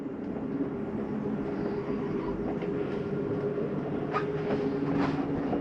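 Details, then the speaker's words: 2013 Sunnybrook Raven 3250RE trailer slide-out moving in or out: steady electric motor drone with faint whine; grinding-like sound at full travel is normal slide mechanism, not damage. "as these get all the way in or all the way out sometimes you will hear what sounds like a grinding noise that's just a slide mechanism saying i'm in all the way let go of the button it's not hurting"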